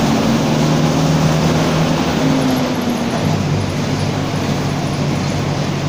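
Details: Grande Londrina bus 4130, 2007 Torino OF-1722M, on line 314 Olímpico (recorded 19/11/2018): steady low drone with faint hum under road roar while cruising, worn differential growling under load; differential whine.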